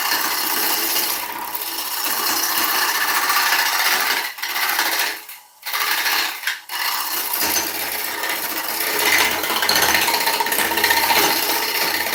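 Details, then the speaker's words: Ash log turned on lathe for serving bowl: harsh uneven rasping rattle, about four hits a second with brief pauses, as the gouge chatters across bark on the rim; tool chatter on bark. "You hear that rattling? Because it's running on that bark, okay?"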